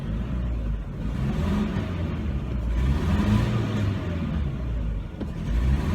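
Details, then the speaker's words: 1998 Chevy Cavalier petrol four-cylinder with check engine light, stalling and lack of power: revs unevenly with a lumpy stumbling exhaust beat, felt miss and slow acceleration, from a faulty fuel injector. "It's running rough right now. It's I kind of feel a miss."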